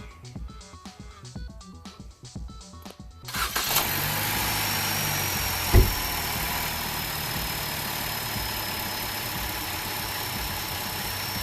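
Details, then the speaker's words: 2010-2016 Chevy Cruze 1.4L turbo inline-4 at idle after start-up: steady high whistle from the failed PCV valve built into the oil-leaking valve cover, leaking vacuum and causing pressure loss. Fix is replacing the valve cover. "So you can kind of hear it whistling right now. We're going to pull the upper engine cover off. And what you can kind of hear, I said it leaks, is that sound right there. That shouldn't be doing that."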